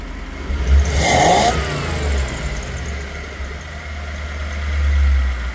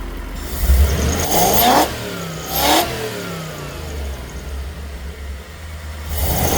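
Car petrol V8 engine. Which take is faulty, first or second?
first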